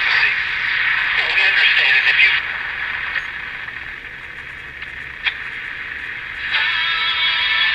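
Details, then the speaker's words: Vintage Hong Kong Passport transistor radio after first IF transformer replacement, original electrolytic capacitors: plays with a faint steady high squeal riding over the sound; oscillation, later cured by replacing two electrolytic capacitors. "There's just a little bit of oscillation. You can hear it. I have not replaced the electrolytic caps."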